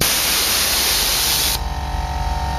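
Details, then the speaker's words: 1996 Jeep Grand Cherokee Laredo 5.2 V8 with new IRO on-board air compressor: loud hiss of air bled from tank, then compressor motor hums back on when pressure drops, refilling to 135 psi; normal pressure-switch cut-in. "let a little air pressure out if it drops below a certain point compressor kicks right back on brings it back up to 135"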